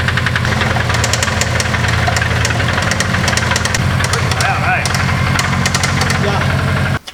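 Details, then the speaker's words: Subaru WRX GC8 rally car, unopened engine with 230,000 km pushed to 230 kW at the wheels: sharp metallic raps tick steadily over a rough idle, evenly spaced with rotation; likely bearing failure knocking in the bottom end. "you would have heard seen felt the knock coming out of this car because the last time dean drove it uh well we knew it was coming it was always going to go like this"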